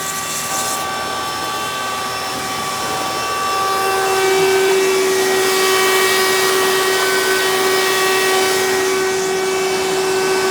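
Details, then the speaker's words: 1992 Hoover Elite II Total System Performance 650 upright vacuum, model U4689-910, in direct-air hose tool mode: steady hum with strong high whine that rises then holds; abnormal motor noise, may need motor work, fine in floor mode. "so i think you guys could probably hear that this clearly wasn't been used with the tools very often so may need to have a little bit of motor work done to it"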